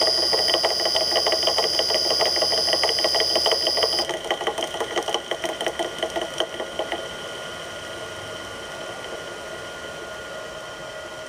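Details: Millport/Bridgeport mill motor with rusted, worn-out bearings (6206Z bottom, 6205-2RS top) running down: steady high whine with a fast ticking rattle around three per second, rough and dry; worn motor bearing noise.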